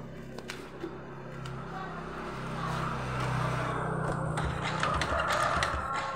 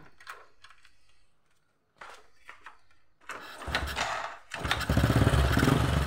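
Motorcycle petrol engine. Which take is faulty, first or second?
first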